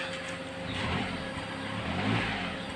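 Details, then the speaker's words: Engine after stuck PCV valve fix for white exhaust smoke, light rev: lifts gently and settles smoothly, even note, no misses or knocks; earlier noise gone, running healthy. "Ito na oh. Andar na may tuwang-tuwa ng boss namin. Wala na yung ingay."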